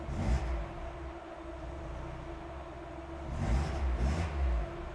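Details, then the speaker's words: Mazda Miata at idle between two short throttle blips: the engine runs slow and lumpy, settling to a low, uneven idle; owner suspects the throttle had been holding the valve open instead of the idle control valve. "okay all right now I have a very low idle probably because the throttle may have been holding the uh the valve open instead of the idle control valve holding it open"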